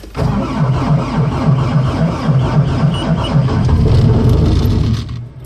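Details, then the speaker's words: Bobcat S250 skid steer diesel with about 2200 hours, cold start after waiting on the glow plug: a steady, reluctant cranking chug at three to four beats a second drags on without catching cleanly. Hard cold start with prolonged cranking; cause not confirmed. "finally went friggin 20 cranks later so yeah there she is guys"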